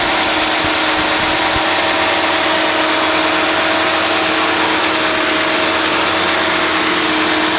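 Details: 1991 Mercedes-Benz 420 SEL (W126), 21 years old, original paint, garaged, never overheated: a steady, fast, even engine hum that never settles to a low idle. The idle sits too high, cause not pinned down.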